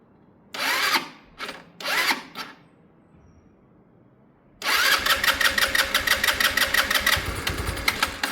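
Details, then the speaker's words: Sinnis Harrier motorcycle, cold start with battery boosted and brand new carb: short cranking bursts, then ragged surging run that stumbles and won't pick up when throttle is opened. Old plug black and wet. "This bike, no matter what we do, that's a brand new carb, it just doesn't like revs on startup. Maybe a tiny bit. Let's try a tiny bit."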